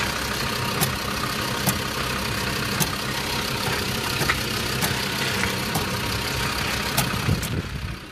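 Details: Land Rover Discovery 2 engine idles steadily with sharp, irregular ticks about once a second; source of the strange noise unknown.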